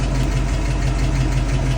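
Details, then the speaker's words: 1966 Mustang in gear after half-shaft bearing replacement, rear disc conversion and differential maintenance, previously noisy rear left wheel: even low engine rumble, no whine, growl or rhythmic rumble; bearings and differential quiet. "and he's working nicely listen down there nice and quiet"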